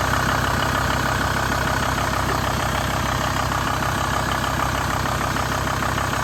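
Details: VW T4 van idling steadily with even clatter and no belt squeal after replacing engine mount, worn crank pulley and aux belt to fix the belt noise.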